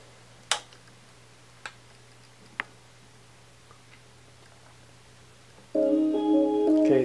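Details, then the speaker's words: Samsung 52-inch LCD TV LN52A550 after mainboard replacement, previously no power with relay clicking and blinking red light: three isolated clicks then the short startup chime; powers on normally. "turn on okay so it's back on it's working fine"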